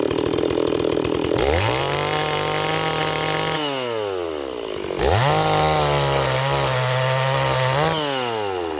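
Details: Stihl 026 chainsaw cutting wood: revs up crisply, holds a steady pitch under load through each cut, then drops back cleanly; runs healthy.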